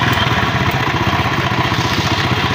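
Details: Honda CD70-type small motorcycle engine idling fast with a brief rev: a light, dry timing chain rattle over the exhaust beat, much louder with the mic at one side of the engine. Customer blames a jump; the timing chain tensioner rod is the traced fault.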